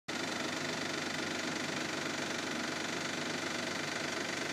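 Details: 2002 Isuzu, timing belt and water pump replaced in 2009, no knock right after startup but knocks once idle falls to 1500 rpm: sharp, even ticking about four times a second over a steady idle. Engine ticking/knocking at idle, cause undetermined.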